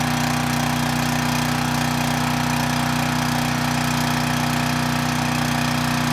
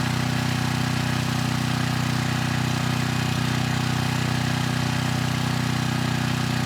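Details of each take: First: 6,000 watt Troy-Bilt generator, engine runs but previously made no power; after rewiring, running at governed speed with a steady, even drone and no knock, output only about 110 volts, low, so the AVR needs adjustment; low output voltage. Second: 6,000 watt Troy-Bilt generator after AVR adjustment to 119.9 volts, 3000 watt load test: steady, even low hum at constant speed, no hunting or misses, above 60 hertz at about 118.6 volts; healthy generator under load.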